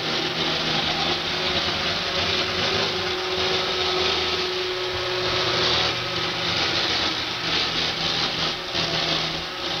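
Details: Roomba 560 robot vacuum on hardwood floor: harsh, scratchy rattle and whirr running steadily over the motor, source unknown; quiet on carpet, earlier Roomba Discovery quieter on the same floor; owner later fixed it.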